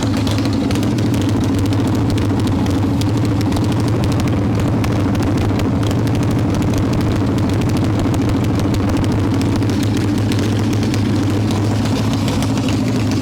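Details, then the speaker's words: 1995 Harley-Davidson Evo Softail, first start, engine hot: loud, uneven lumpy idle with ragged popping exhaust that hunts; owner suspects intake air leaks, janky carb idle screw, possibly ignition issues; carb to be pulled again. "So that's loud and obnoxious, but it definitely sounds like we got some air leaks to address on those intakes, unfortunately. It starts, it kind of idles."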